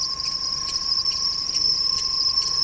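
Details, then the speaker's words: Ford on spring idle: steady high accessory-belt whistle with a faint rhythmic chop, loudest from below; idler pulley bearing appears to be sticking; belt and bearings to be replaced. "слышу такой рубящий звук очень похоже на то что этот подшибник уже я просто-напросто подклинивать из этого ремень цесиса сам ролик подклинивает"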